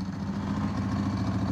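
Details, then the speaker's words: 1995 Ducati 748SP V-twin out of years of storage, starting after cables were wiggled: uneven, lumpy beat settling into a steady idle within seconds; normal idle. "well if you can hear me I gave the cables a quick wiggle and uh yeah it came into life ah good old chatti"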